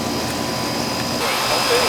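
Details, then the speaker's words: Old Amana R-22 AC condenser after replacing the bad contactor and weak capacitor, now cooling fine: steady, even fan rush and compressor hum, no buzzing or chattering; normal running. "nice and warm yeah it's been shot it's been cooling fine yeah no issues there"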